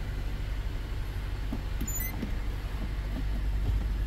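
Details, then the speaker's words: Honda Element manual transmission after topping up about one litre of missing gear oil, stationary, off throttle: steady low drivetrain hum with no whine or grinding; first four gears sound normal, noise was only in fifth. "neutral se escucha bien primera esto lo estoy haciendo sin pisar el acelerador"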